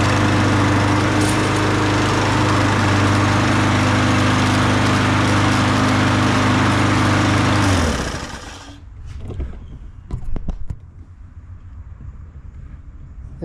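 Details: Troy-Bilt TB200 push mower, Briggs & Stratton 625EX, after sharpening blade, oil change, carburetor cleaning, spark plug and new air filter; smooth steady drone with no surging or misses, then clean shutoff: normal running.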